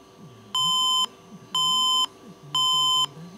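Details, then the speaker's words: Three clear, mid-pitched half-second beeps about one per second from a motherboard at power-on; the POST code reports a missing CPU. "tre bip mancanza della CPU"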